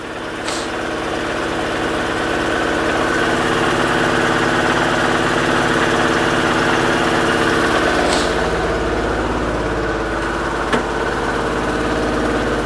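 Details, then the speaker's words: Daewoo Lanos petrol/LPG engine that wouldn't start due to swapped high-voltage ignition leads, now starts after correction: loud idle with uneven shaking beat, about three pulses a second; misfire, coil output weak on some cylinders. "двигуна О видно по дверці по дзеркалу видно як підкобашує так підковбашує підковбашує але машина завелася якось так зараз ще раз перевірю сигнали на які виходять з котушки можливо якийсь циліндр ще не цей не допрацьовує"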